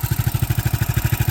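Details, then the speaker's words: 420cc Predator electric-start single-cylinder in a Hyundai golf cart with CVT clutch, stock Hyundai transmission, welded 90-degree header, choke cable not yet connected; slow even thumping low idle, no misses, about as low as wanted while still grabbing. "It's about as low as an idle as I want, so it still has enough to grab."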